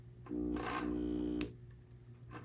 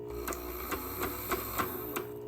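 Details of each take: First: Broken On30 scale model steam locomotive motor at 3/4 power, after separating two touching pickup wipers: the small motor whirs up to a steady, even hum with no binding but spins a little lazily. The plan is to dig out the old grease and add fresh grease and a little oil. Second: On30 model steam locomotive on HO gauge track, DC controller: light motor whir broken by sharp uneven clicks about three a second; a pickup wiper is caught in a wheel spoke, jamming the gears, with wipers misplaced and needing realignment.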